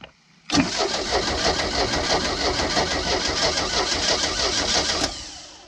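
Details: Old boat with sterndrive, unknown condition after sitting, new spark plugs fitted and little fuel added: starter cranks steadily about three turns a second for four seconds, never fires; crank no start, owner suspects rusted cap, rotor, points and condenser.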